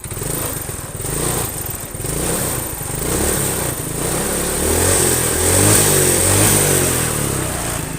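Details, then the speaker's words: Yamaha Mio scooter after carburetor idle screw adjustment: single-cylinder buzz picks up cleanly and climbs smoothly on each throttle blip, no stumble; good throttle response, though mixture judged slightly too lean and to be richened. "gila guys, enak banget sumpah. Ngisi ya, gasnya ngisi."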